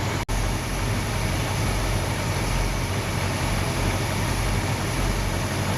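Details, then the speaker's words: Hemi V8 muscle car engine idling in gear at about 665–670 rpm, vacuum around 13 inches, timing light and vacuum gauge connected; low, steady, even idle with no misses, knocks or ticks, normal idle. "So we've got the car idling in gear, and we're going to get our RPM, which is pretty much around 670 RPM, 665, and then we're going to get our vacuum. Right now it's bouncing around 13 inches."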